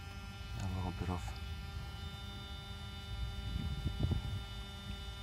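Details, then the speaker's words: 1994 Mercedes 600SL V12, repaired throttle body units tested on a running car after learning cycle; steady whining buzz as actuators move and open fully in sync, no grinding, normal for these units. "so obviously when I move primary throttle I get units to activate properly you hear the noise that's normal for these units"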